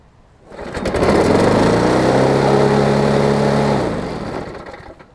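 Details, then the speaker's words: Craftsman 22-inch push mower, just traded for, before repair: starts and screams at very high, flat revs with a shaky, buzzing vibration; running far too fast, with a bent blade causing the vibration. "obviously i saw this thing was revving its head off with a pretty bad bad vibration"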